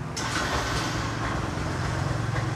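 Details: Yamaha YTX 125 single-cylinder cold start after 10 days parked with fuel cock off: catches right away, settles into an even putter with no stumbling or rattle; normal.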